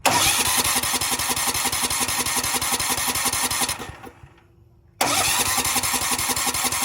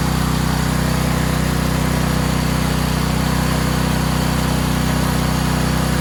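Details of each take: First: Cheap Valsi generator's small engine, run on carb spray with the choke on: it fires and runs unevenly, dies to silence, then picks up again, so fuel isn't reaching it; carb cleaning and flushing the lines and tank are planned. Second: Valsi generator, push-to-start with choke, test run: steady, even engine drone with smooth low thrum and no misses or knocks; idles cleanly.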